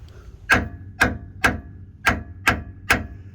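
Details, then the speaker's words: Jeep LJ frame rail hammer test: six sharp taps ringing with a clear metallic ping, meaning solid metal; a dull sound like pounding sand would mean rotted metal. "that sharp metallic tapping sound or pinging sound is what you want you want it to really sound solid if it sounds like you're pounding sand that means the metal is Bush it's time to go"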